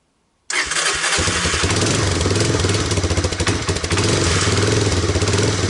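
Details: Honda Big Red ATC250ES after carb and intake cleaning, fresh stabilized fuel with Sea Foam and a charged battery; start with choke on gives a short crank, it catches at once and settles into an even, lazy low idle, set slightly low, might stall.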